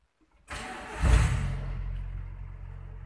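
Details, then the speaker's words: Used pickup being inspected: brief crank, catches within about half a second with a quick rev, then a steady, even idle with no stumbling; it starts cleanly. "Coba ada gas Hai haas Crush diamkan Apakah mesin itu stabil suaranya atau tersendat-sendat"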